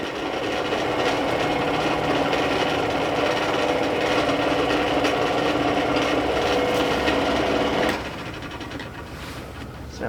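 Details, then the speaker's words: Dometic RV furnace 12 V DC blower motor bench-tested on direct power after it wouldn't run in the camper; continuous scraping, rasping drone as the fan spins slow and uneven; fan rubbing on something and the motor is failing. "horrible that sounds horrible [Music] I'm spinning that fan by hand here it's rubbing on something that's probably why it wouldn't starting in the camper"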